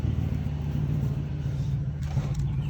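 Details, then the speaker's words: 2001 Cadillac DeVille with code P1404 (EGR), before the EGR valve replacement and MAP sensor and throttle body cleaning: low rumble at about 800 rpm where roughly 650 is expected, with the beat swelling and easing. Hunting high idle. "so we're gonna see if that makes it run a little bit better because I really don't like they're like up and down on the RPMs as you can hear"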